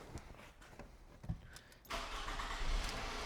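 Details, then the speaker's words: 2007 Scion tC that arrived dead with no crank, after charging battery and fitting a missing 10 A fuse: few quiet clicks, then engine catches at about two seconds and settles into steady even run, normal cranking and start. "it cranks it revs and it moves from Park wouldn't you know it an't that just beautiful"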